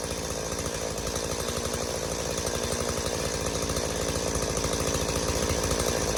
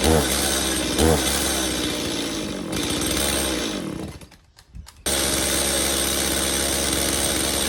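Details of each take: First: Stihl MS180C two-stroke chainsaw, long unused, running after carb rebuild (new metering diaphragm, gasket, pump diaphragm and gasket, plus new spark plug); holds a steady, crisp buzz with even firing and no stumbling, fixed of bogging and dying on throttle. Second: Stihl MS180C two-stroke chainsaw, long unused, with new spark plug; screams along, then sags and nearly dies when opened to full throttle before catching; worn carburettor diaphragms suspected, fixed later by carb rebuild with new metering and pump diaphragms.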